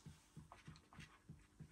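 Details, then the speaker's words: Audio Innovations 800 Mk1 25 W class A tube power amp, first power-up after modification: soft low-frequency bloop-bloop thumping about three times a second from the rear speaker, cause not yet found; voltages check roughly correct. "there's something not as it's supposed to be it's all tubes I know that if you can hear this it's some bloop going on"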